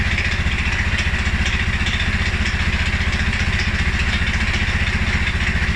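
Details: 2011 Polaris Sportsman 550 XP stumbles on cold start and after a ride or a couple of revs. Low, slightly uneven single-cylinder idle around 220 pulses a minute, the beat wavering. EFI sensors (TPS, IAC, TMAP), valve clearances, timing, plug and 43 psi fuel pressure all check good. Rough idle, cause unknown.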